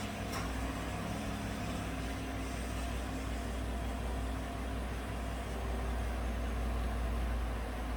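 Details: 2018 GMC 5.3 V8 truck at idle, in closed loop after start-up; it had run rough and misfired on bank 1 with rich and O2 sensor codes, traced to a faulty front O2 sensor. Quiet, even idle with a smooth low rumble and no misfire pulses.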